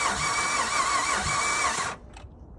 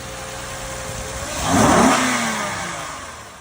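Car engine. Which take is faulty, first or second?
first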